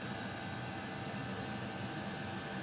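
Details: Custom Webasto water heater and Chinese diesel heater hybrid at max after about 5 more minutes; radiator almost 90°, burn chamber 140, cooler passage 60s; steady even roar with fan hiss, no sputtering, pulsing or misfire; normal full-output running.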